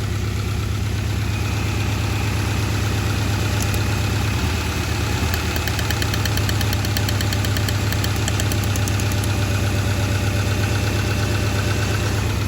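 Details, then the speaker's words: A low idle with an uneven beat and occasional stumbles from a Honda Accord with bad plugs suspected and a cracked motor mount; the misfire and rough idle are thought to flood the motor, making it die when hot. "And I think the reason why it's dying when it gets hot is because it's flooding the motor out. Because those cylinders aren't doing anything."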